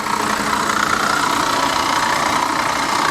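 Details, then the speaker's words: C4 Corvette at a salvage yard, AC bypassed with belt and pulleys removed: fires right up on its own, then loud rough idle with an uneven knock two to three times a second; water pump suspected. "That sounds uh that sounds a little sketchy, but she did fire right up on her own. Got to give her that. Yeah, that sounds like a water pump or something."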